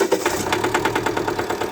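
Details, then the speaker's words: Jeep Compass diesel, 2.0 TD 350 engine, idling after start and under light revving: hard rapid metallic knocking with engine shaking, caused by a faulty injector. "Pessoal, vocês ouviram um barulho? tipo um castanhado batido de pino por causa do problema."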